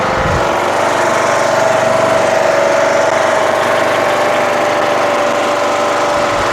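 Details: Craftsman LTS1500 lawn tractor with rebuilt 17.5 HP Briggs OHV single-cylinder made from two blown engines, on a test drive: loud even drone, steady pitch, no misses, knocks or surging; runs very well, though idle is very high and the throttle is sticky.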